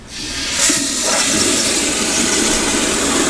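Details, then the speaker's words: Sloan sensor-operated flushometer, control stop turned wide open, peak flow reading about 35–40 psi on EBV-375-A cap gauge: sharp, forceful rush building fast to a steady loud hiss, may splash; normal aggressive flush showing good supply pressure. "i can turn the stop wide open and then when i flush now the flush is going to be really aggressive and it might start splashing which is normal if you've got good flow pressure in your"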